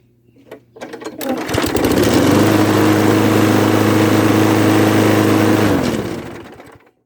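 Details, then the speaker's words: Craftsman lawn mower after a missing cover screw was replaced: it starts and settles into a steady, even drone with no rattle from the previously vibrating cover, then winds down; running normally. "Problem solved. Doesn't vibrate anymore."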